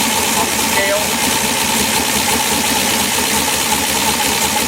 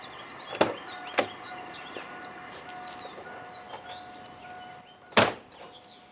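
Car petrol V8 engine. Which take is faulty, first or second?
second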